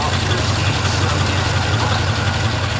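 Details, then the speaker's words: 1936 Cord engine, returned to service after head work and rear brakes, started via manual starter solenoid pin; steady low idle with faint uneven tapping about three a second, internal engine noise, cause not pinned down. "running sounds pretty good it doesn't run quite well I mean I can hear you're gonna hear a little bit here those"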